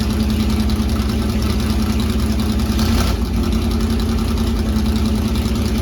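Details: C3 Corvette V8, first start after fitting side-pipe headers (open headers): very loud, raspy, steady fast idle with even lumpy beat; idles high only when cold, owner suspects the choke, plans tachometer to check rpm.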